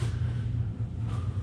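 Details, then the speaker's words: 2007 supercharged GT500 after an L&M NSR cam install, cranking in neutral with a relay pulled and no fuel pump heard, before loading the tune: steady, even cranking rumble with no knocks or ticks; normal cranking. "too glamorous cool sounded like she was going good on all banks nothing too crazy there"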